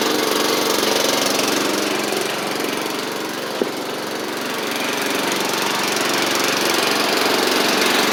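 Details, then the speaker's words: Troy-Bilt Pony mower with its Powermore engine swapped for a Briggs & Stratton flathead, driven up and down after the rebuild: single cylinder runs at a steady, even pace with no misses or knocks; normal running. "I'll Crank It Up and just drive up and down a little bit for y'all just to show you that it's running and driving like like it's supposed to"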